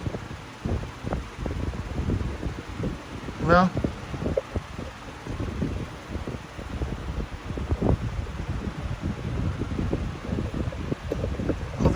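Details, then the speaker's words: New 20-inch Big Air high-velocity fan, first test run after assembly: steady fan rush with scattered irregular sharp clicks; owner unsure if from the motor needing to break in, also slightly out of balance. "it is kind of making some type of clicking noise i don't know if that's coming from the motor because the oil needs to break in or whatnot"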